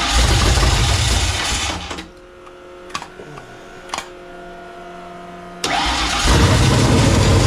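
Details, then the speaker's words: Foxbody convertible with a freshly reassembled carburetor whose float levels may be wrong: it catches and roars briefly, then dies to near silence before refiring and won't hold idle. Timing is thought not to be the cause; a faulty carburetor or a vacuum leak is suspected. "it's like a fires but it just doesn't wanna stay running I don't think we're I don't think it's a timing or a wooden fire try it again"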